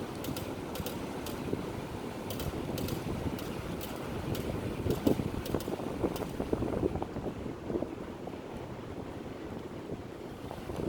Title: Model 3 clicking noise while turning